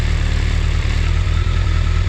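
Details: BMW K1200 motorcycle idling after a fuel pump test, pump running via a manual switch. Steady, even low rumble with no knocks or misses. Normal idle.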